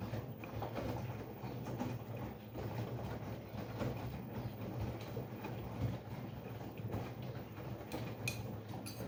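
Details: LG washing machine after repair (drum and door seal cleaned, counterweight refitted, felt applied, silicone sealed and cured overnight): low even rumble, soft swishing, light knocks about once a second; tumbling normally.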